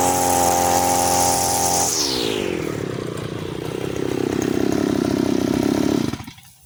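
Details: Side-mounted brush cutter, new from the shop with factory carburettor mixture screw (under the carb) too loose: high buzzing revs drop into a rough, burbling lower note lacking crispness; mixture too rich, fuel-hungry and weak.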